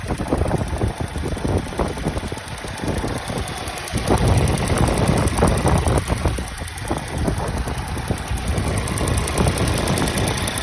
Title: Ticking noise from volvo s60 t4 2020 what is its ?